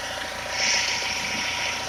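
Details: 2.0 HDi diesel at idle: a steady high hiss-like whistle over a faint, smooth idle; abnormal engine noise, source unclear.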